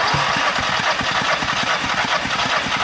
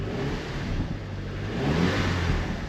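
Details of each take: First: Audi TT with a misfire during a compression test, cranking on cylinder 1: even steady cranking beat, reading about 175 psi, which is good; healthy cranking compression. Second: Audi TT petrol engine started with the old spark plugs, coils and injectors refitted: lumpy, uneven revving from a cylinder 4 misfire plus random misfire; cylinder 4 has low compression.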